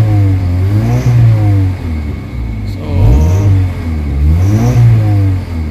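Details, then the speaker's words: Kia Pride with white smoke, low power and throttle delay, before Xado engine treatment, warm with aircon on: engine revs up and down in uneven swells, shaky and never settling, with heavy engine vibration; rough running, internal engine condition suspected. "Pangit yung ano yung ah under ng engine sobrang lakas na ma vibrate ang lakas ng vibrate oh"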